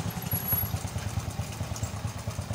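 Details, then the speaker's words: Small Indonesian underbone motorcycle whose piston seized from running out of oil, freed with oil through the spark plug hole. A single-cylinder idle with a steady thudding beat and some rattle, exhaust smoking. Piston likely loose and needing replacement; temporary fix only. "ini kembali hidup bisa hidup knalpot ngebul karena tadi kita udah ngasih pelumas pada ruang bakar"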